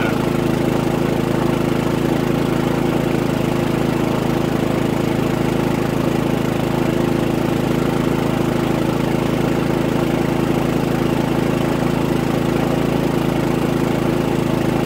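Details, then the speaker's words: Harbor Freight Predator 3500 W generator after 25-hour oil and plug service, powering a 32-ft fifth-wheel RV (15K A/C, lights, TV, refrigerator) at about 17.8 A: constant, even drone under heavy load, no hunting or surging; capacity remains. "I've got one TV on and I've got the refrigerator on set and we still have capacity"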